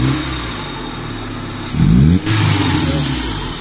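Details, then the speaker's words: Honda Civic LXi manual, which had been stalling, after ignition timing was retarded, warmed up with the aircon off; steady idle, then a quick clean blip that rises and falls smoothly back to idle without sagging or stalling; normal revving. "rev p natin kung walang bagsak Sakto lang tapos dahan-dahan bababa sa idle"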